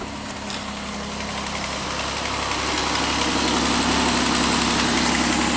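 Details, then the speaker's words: Pontiac Aztek cold start at night, service engine light on, idling high: steady idle with a faint fast regular ticking puff, about four per second; owner suspects an exhaust leak, probably at the exhaust manifold. "I think you can kind of hear where it sounds like there is an exhaust leak down there probably in the exhaust manifold"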